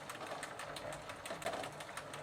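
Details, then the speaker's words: 1990 Gazelle bicycle with a Sturmey Archer three-speed hub, cleaned, regreased and treated with WD40, in third gear: quiet rapid pawl ticking coming and going as the wheel turns, pedalling a little heavier. "And now I can hear some of the palls making a clicking sound. And to be honest, peddling does feel a little bit heavier."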